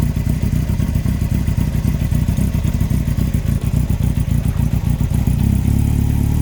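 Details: 2003 Yamaha R1 5PW, 41k miles: deep heavy knock under the clatter, three to four blows a second, from cylinder 4 big end bearing failure; cam chain, valves and top end fine; needs a new engine.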